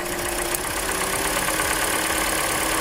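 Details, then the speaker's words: Hyundai Elantra 1.8 petrol engine idling roughly with a faint quick ticking, heard before disconnecting injectors one by one for diagnosis; disconnecting cylinder 1 or 2 lowers rpm and reduces the tick, source not pinned down. "Okay, still ticking noise."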